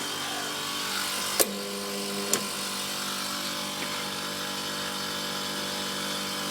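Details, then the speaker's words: Milk-cooling refrigeration unit's condenser fan motor hums but does not spin, drawing 3 A against a rated 1.2 A. A click, about a second of electrical hum with no airflow, then a click off. The old motor's front bearing had failed (seized). "customers commented that the condenser fan is not running I can hear the motor humming it's pulling 3 amp so she's only pull 1.2"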